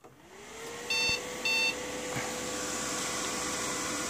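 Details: Dell computer at power-on: two short, high, even beeps about half a second apart, repeating, over a faint fan hum. A two-short-beep BIOS POST code.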